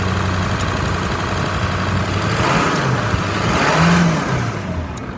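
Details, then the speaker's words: 2003 Ford F-550 XL, 7.3 L diesel, 129,152 miles, warm after about 30 minutes running: deep diesel clatter rises smoothly with throttle and settles back, no knocks or misses; engine sounds great, normal. "Engine sounds great. I'll rev it up a little so you can hear it."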